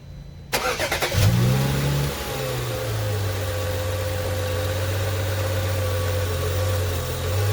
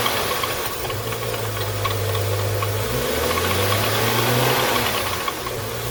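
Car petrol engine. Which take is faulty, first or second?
second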